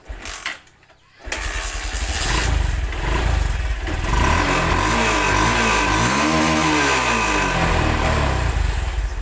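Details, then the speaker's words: Honda Verza/Megapro motorcycle engine after cam chain replacement: it starts after a short crank and revs smoothly with no top-end rattle, whereas before the repair it made a ticking, rattling sound. "Motornya sudah halus ya. Kalau tadi bunyinya agak mericik ya."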